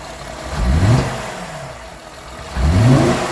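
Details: 2008 Cadillac STS cranks and catches in short, rough, lumpy bursts; in-cylinder pressure transducer and scope testing confirm incorrect cam timing.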